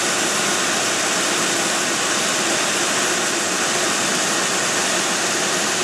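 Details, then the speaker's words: 2003 Mercury Grand Marquis engine in warm-up period after sitting about 5 hours, run on Mobil 1 synthetic with Lucas treatment: steady, even, hiss-heavy idle with no knocks or pings, runs smooth; normal cold idle. "I'll let you guys listen to it here for a second. As you can hear, there's absolutely no knocks, no pings, runs smooth."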